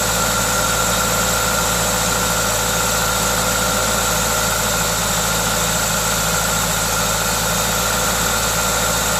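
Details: Toyota 2ZZ-GE engine at a normal idle, steady and even; the constant airy hiss comes from an induction kit; no knocks or misses, sounds healthy.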